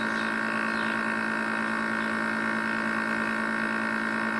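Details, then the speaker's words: Air conditioner compressor running loud, steady hum and strong buzzing with no fan rush; condenser fan stopped so unit overheats without ventilation of hot air from the coil and may trip; louder than it used to be. "e aí um barulhão dele como é que tá o que é que ele vai desarmar e superaquecendo comédia da super aquecida e não tá sendo ventilação para soltar esse ar quente da colmeia"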